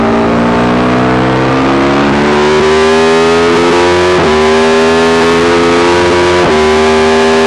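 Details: Yamaha YZ450 single in a supermono race bike revving hard at steady pitch, then stumbling and dropping out briefly twice. Constant misfire that worsens after a couple of laps; carb settings, fuel tank, filter, breathers, ignition, coil, generator all changed without cure.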